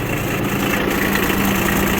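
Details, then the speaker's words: Kubota RTV900 diesel after a head gasket replacement and bleeding air from the fuel system: steady, even idle clatter with no misses, hunting or roughness. Normal idle. "Now we know we got no air in there. She's running and idling. Beautiful."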